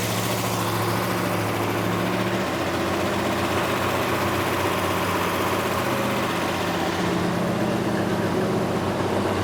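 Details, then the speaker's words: Plymouth Duster race car with a new big-block V8 and 6-pack setup, run-in at about 2,000–2,100 rpm with 60 psi oil pressure, timing still a little high and untuned: steady, smooth even rumble with no knocks or ticks; sounds healthy. "There we go. Sounds awesome. We ramp up the RPM."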